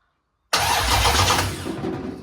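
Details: 1972 Dodge Charger Rallye with a Gen 3 Hemi, first fire-up attempt after rewiring: sudden cranking with uneven firing that sputters and fades within two seconds. The engine tries to catch but won't keep running.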